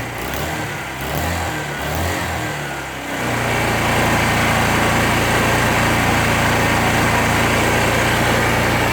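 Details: 2001 Suzuki GZ250 single, cold start on choke: fast choke idle with sharp puffing edge from a leaking exhaust joint; exhaust leak persists after new gasket; bike runs lean, front pipes bluing, gutless when cold.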